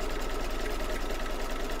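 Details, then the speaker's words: Embroidery machine stitching in an 8x8 hoop with gummy, sticky marks: fast, even stitching clatter with faint short squeaks on top as the hoop catches on residue; expected to work itself out. "okay the little squeak there but I noticed there were some gummy marks right here it might take a few minutes to work itself out"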